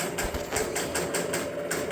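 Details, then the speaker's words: 1971 Williams Klondike pinball machine under restoration: steady chatter of clicks about five a second that never stops; score motor keeps cycling because the score unit won't step to its reset position. "so I imagine it's never going to stop spinning until we get that on track"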